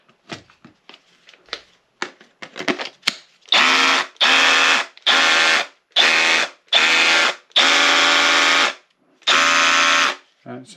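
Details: Milwaukee M12 Fuel 12V SDS drill after reassembling and greasing the hammer mechanism to fix skipping in hammer mode: short even bursts of motor and hammering, starting and stopping cleanly at steady pitch; hammer action now working properly.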